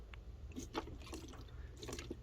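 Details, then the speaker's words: 1988 Cadillac Brougham parked 16 years, running after thermostat replacement, squeezed: soft gurgling and bubbling as coolant pushes out at the filler; radiator cap suspected not holding pressure. "just coolant coming out. I suspect that this radiator cap's not actually doing anything."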